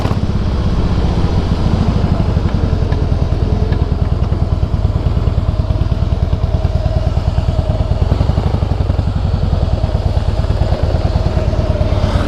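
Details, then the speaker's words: 2008 Harley-Davidson Softail Heritage with Screaming Eagle exhausts: low, lumpy V-twin beat with an irregular, iron-like clattering thump and vibration, occurring only when downshifting (e.g. 4th to 3rd, 6th to 5th), not at high speed. Primary drive noise. "o barulho ó tou reduzir aí você sente a vibração toda parece um um ferro e só faz quando reduz cara"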